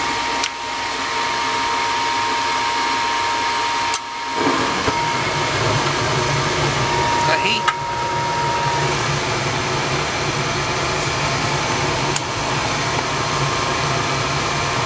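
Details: Gas furnace above a carport, after a no-heat call, fired up after replacing a cracking, worn hot surface igniter (new one reads 70 ohms): steady even blower rush over a soft burner roar, no rattles or cycling; running normally and producing heat.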